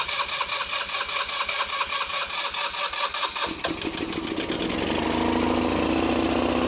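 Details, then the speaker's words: Old scooter, after tapping carburetor needle and seat, started by jumping spark since starter button doesn't work: uneven cranking catches at about three seconds into steady buzzy idle; lights work. Runs and idles. "There it goes. It's a runner. Now we got our lights and everything, so that does work."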